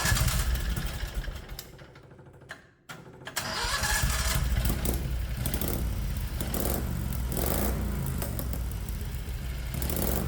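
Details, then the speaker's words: 670cc Predator engine in a 1969 Renault R10 with new dual OKO carbs and an electric pulse fuel pump, first start after sitting a while. It catches after brief cranking into a fast, slightly lumpy idle, set too high and hindering shifting into gear. "the only problem I'm noticing is the idle seems a little bit high and that causes a lot of problems putting the transmission into gear"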